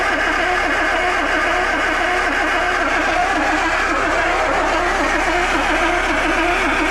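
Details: Land Rover 2.25 petrol, stood months, refurbished Zenith carb, new distributor, coil, HT leads, solenoid, lift pump and starter, spark confirmed: even rhythmic cranking with no catch; cranks freely but never fires.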